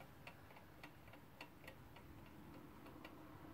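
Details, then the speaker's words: Haller drum alarm clock, nearly fully wound: faint ticks at roughly two per second with uneven, limping spacing, out of beat. It stops after about 60 seconds; owner suspects blunt balance pivots. "it's pretty much fully wound up but it ticks for a bit it's got um second dollar at the bottom it's gonna run for a lot now now i'll talk moment in it but believe me it'll stop for some reason"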